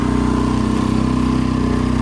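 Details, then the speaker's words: Small cabin boat's outboard under way with a steady, slightly uneven beat, surging and going raggedy, and it has cut out. Running rough; owner suspects a blocking fuel filter, unconfirmed. "Loving the weather. Conditions are bang on. Big rain clouds there in the distance. Look at the engine sounding a bit rough today."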